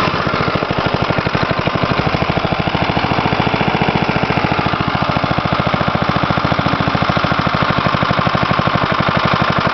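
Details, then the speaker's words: 1977 Briggs & Stratton 3 HP lawnmower engine, winter cold start: slow, lumpy single-cylinder chuffing, firing unevenly and barely sustained; very low idle speed. "really low idle on this okay well let's see if it starts under its own gas lines and own gas system"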